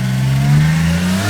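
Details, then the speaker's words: Skyline engine: a strong, even note that climbs smoothly as it revs, with no stumble or skipped beats; all cylinders fire cleanly, so the fault was likely just the plugs. "So I guess it was just plugs. It's really awesome news, actually."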